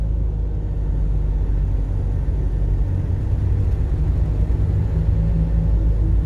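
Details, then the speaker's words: Toyota Hilux SR5 2.8/3.0 (1992–2004) cab while driving, after securing the loose instrument panel parts: only even road rumble, no buzz or rattle; the dashboard is now quiet. "escuta o som do silêncio que ficou esse painel agora"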